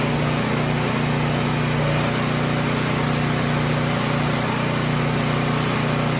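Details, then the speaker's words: Emergency generator unused three years, started indoors on a lift after service; loud steady small-engine drone with even fast firing beat, no surging; runs normally, just noisy and smelly. "so it's pretty noisy and it stinks quite a bit"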